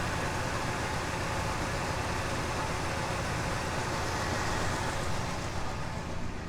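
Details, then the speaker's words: Oldsmobile Delta 88 V8, cold with fast idle still on: smooth, even low rumble, exhaust barely audible, no knocks or misses; normal healthy idle. "just wonderful magnificent engines you can barely even hear the exhaust on this car"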